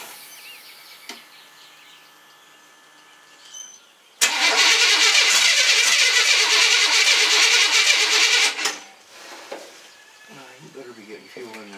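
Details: GM mud truck with a new wiring harness and an 87 GM electric fuel pump and sender modified to fit the 89 harness: the starter churns evenly about three times a second for four seconds and never fires. Still no fuel reaching up top.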